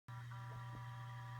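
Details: Seagate ST8000DM002 hard drive making a steady low electrical buzz at idle, one pitch, no spin-up or clicks; cause unknown.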